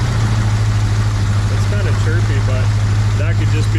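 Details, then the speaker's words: 1966 Pontiac 2+2 convertible with a 421 V8, barn-stored about 15 years: steady low idle with light intermittent chirps; the belt may be hitting the power steering, cause not confirmed. Oil pressure somewhat low, a bushing worn, a vacuum leak heard. "accessories it also could be that belt hitting the power steering"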